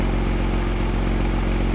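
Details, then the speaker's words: Porsche Boxster flat-six with an unexplained fault, running after fault codes cleared, reader showing no codes: smooth, even low burble idle, no knocks, ticks, rattles, smoke or odd sounds; healthy-sounding engine. "just sounds absolutely lovely lovely no smoke no alien sounds it just sounds wonderful"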